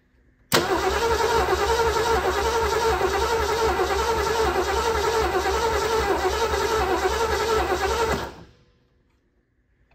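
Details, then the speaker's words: 1976 Ford Bronco Sport parked 30 years, after new ignition module and wiring, fuel filling the float bowl, choke and accelerator pumps; steady cranking about three and a half turns a second for seven seconds, never catching; cranks but won't start. "see if I can choke it a little more maybe give it a tad bit more fuel let's try"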